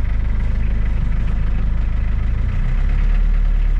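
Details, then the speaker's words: Suzuki Samurai with Isuzu diesel, cold start after sitting five or six hours on a cool night, six or seven seconds of glow plugs: deep regular thump a bit over two beats a second, smoothing and rising slightly, oil light goes out; normal cold idle. "give it a couple seconds of glow plugs here maybe six or seven seconds oh she fires right at low pressure light goes out"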